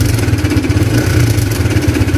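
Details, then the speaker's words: Honda CBR (new model) motorcycle before repair: harsh fast metallic ticking over the engine, staying rough even when revved; cam chain tensioner ticking. "Suara yang keras itu... yah, sumber suara keras itu seperti ini. Berdetik dengan buruk, kan? Sekalipun kita menggebernya , suaranya tetap terdengar menakutkan."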